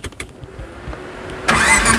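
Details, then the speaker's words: Modified Suzuki Katana pickup (Jimny 4x4) fitted with a Honda Stream reduction-type starter motor: quick, even starter whirr with soft regular cranking pulses, engine catching within about a second and a half; starter working properly. "Ini kalau starter dinamonya kan tadi pakai reduksi, pakai Honda Stream, jadi suaranya kayak enggak gini ya."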